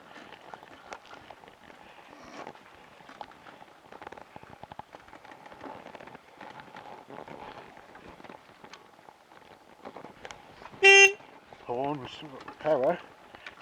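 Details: BSA A65 motorcycle stranded after a worsening misfire blamed on its electronic ignition, on a hot summer day: engine silent, then one loud, clear full-strength horn blast, so the battery is still well charged.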